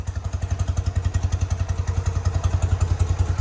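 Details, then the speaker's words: Motorcycle twin first started after sitting 20+ years, carburetors not yet adjusted, needing throttle before catching: steady even low thumping about three and a half beats per second, no misses; now idling on its own. "The carburetors still need to be adjusted. Oh, there we are. Idling on its own."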